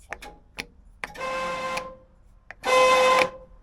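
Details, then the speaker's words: 1964 International Travelall C1100 with a 1963 IH 304 during a Holley Sniper EFI install: two short buzzy horn blasts with a harsh, rasping, unsteady tone instead of a clean note; horn worn, may be swapped. "horrible. Wow. Well, I guess the horn button works. This horn is in rough shape."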